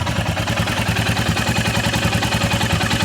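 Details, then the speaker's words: Royal Enfield Himalayan single-cylinder after valve clearance check and adjustment: steady thump with a light, even tappet tick, only slightly audible, which is how it should be; normal valve tick. "yeah you can hear it but only a little that's the way it should be"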